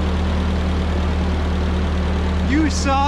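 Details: 1946 Ford 2N tractor flathead four-cylinder idling after a blown head gasket was replaced and fresh oil was added: a low, steady idle hum with an even beat and no knocks or misses. The engine sounds healthy.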